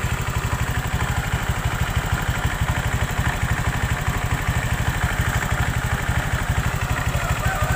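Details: Honda Vario 125 LED scooter: a quick clatter from the rear under throttle, appearing at half throttle and like a broken roller. The CVT was checked and its rollers are fine; the cause is a loose right-side air filter box. Fix: shim it with inner-tube rubber.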